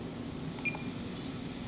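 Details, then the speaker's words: Pavo Femto FPV micro drone, stock beeper before installing a louder one: a brief, thin little tune of high chirps over faint fan hiss, too quiet to locate the drone at a distance. "Hear that little baby tune? You can never hear that when it was away from you."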